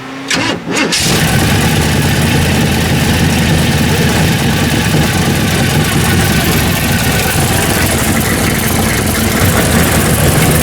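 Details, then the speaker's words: The '74 with cheap home-made baffles of steel wool and washers in the header collectors, compared with the much louder exhaust the day before; quick crank, loud but even steady rumble, revved a little; exhaust quieted to tolerable. "Well, that's tolerable right there. You can tolerate that. Ramp it up a little. Sounds good. Actually sounds good."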